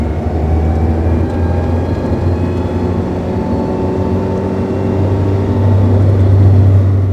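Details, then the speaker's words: ND Mazda Miata cruising in third gear at 2500–3000 rpm; thin high-pitched transmission whine, almost grinding, over road and engine drone; owner fears gearbox failure and suspects a possible clutch issue. "It's more of just a high-pitched wine. Um, I hate that noise. It bothers me so much."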